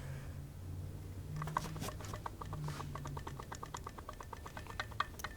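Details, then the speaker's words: 2002 Mercedes E320 water pump, hand-spun off the car: steady gritty ticking that speeds up with the spin. The bearing is wobbly, damaged by a shredded, oil-soaked serpentine belt wadded under the pulley after tensioner failure. On the car it sounded like a goat. "we go this thing is shot whenever we would spin it on the car when it's still in the car actually sounded like a goat it sounded really really bad so the water pump got damaged out of this deal"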